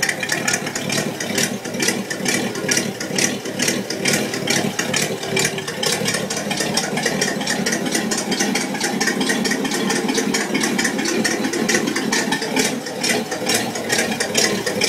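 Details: 1966 Buick Wildcat V8 at idle: quick, even ticking about twice a second over a steady idle, from an exhaust leak.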